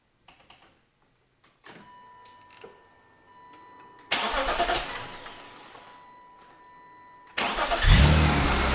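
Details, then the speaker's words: 1999 BMW E36 M3, low mileage, sat non-running for years, fuel primed, first start after repair: clicks, brief cranking, then it fires cleanly, settles and revs smoothly with no misfire or knock. "part of me i can't believe that i actually did fix it i have not heard that sound for so long i'm super excited"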